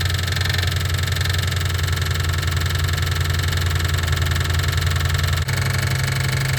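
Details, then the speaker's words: 1988 Ford Mustang GT 5.0 at idle: light repetitive knock about four per second, loudest at the front of the valve cover and fading toward the rear; source unconfirmed, valve cover to be pulled. "Okay, so in my expert opinion, and I'm just going by just the valve cover, it sounds like it's coming from right here. This is where I'm getting the most noise."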